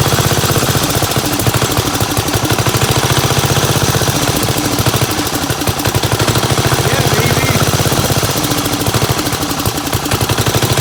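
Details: 1975 Gravely 816S single-cylinder tractor engine, fuel valve opened and closed by hand to keep it running: fast, harsh, uneven firing; rough running as a suspected stuck float floods the carburetor and pours gas out the back.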